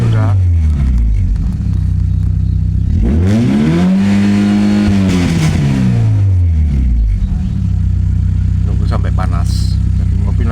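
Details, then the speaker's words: Toyota Great Corolla 4A-FE after ECU repair and data cloning, warming up, revved during test; no check-engine light: even idle then one smooth rev rising and falling, no misfire or knock; normal engine running. "Jadi suu ini dari studioing sudah sukses. Ini sudah dipastikan tidak ada diisi karena engine chck tidak menyala gitu."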